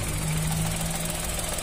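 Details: 2023 Chevrolet Onix with a Helper aftermarket clutch fitted less than three months ago, idling with a low steady hum over the rumble. The noise changes as the clutch is released slowly. Replacing it with the original clutch cured the clutch noise.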